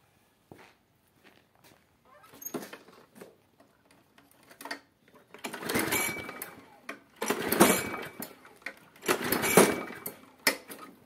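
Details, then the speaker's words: Husqvarna J55S lawn mower, 2008, Briggs & Stratton 650 engine, old engine in poor condition with black oil, fails in autumn: three rope pulls spin it with whooshing turnover but it never fires; spark plug found fouled. "jak wić Jak słychać kosiarka nie uruchamia się więcej prób nie będę podejmował bo już próbowałem i to ciąganie nic nie daje"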